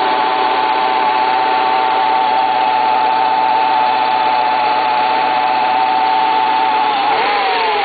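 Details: Renault Scenic 1.8 engine at cold idle: loud, steady, high whirring tone persisting throughout, abnormal cold-engine noise of unclear source.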